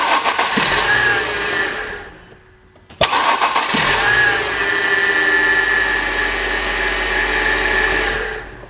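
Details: Cold Mercedes: a brief crank catches quickly into a steady idle, and a second start catches just as cleanly. Cold starting is normal, as the customer reported; the complaint is no-crank only when hot at operating temperature.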